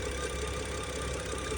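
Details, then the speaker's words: Cheap used BMW at idle: steady airy hiss over smooth idle that disappears when oil cap is removed (pressure felt there); PCV already replaced, owner suspects vacuum leak, possibly PCV-related. "I think this is a vacuum leak but let me know what do you guys think do you think it's something to do with the PCV I've already replaced the PCV but this sounds like a vacuum leak"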